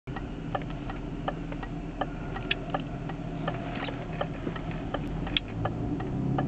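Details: BMW E36 automatic, driving cold: steady low whine climbing slightly with speed, first blamed on the automatic gearbox but caused by a failing driveshaft center bearing under six months old.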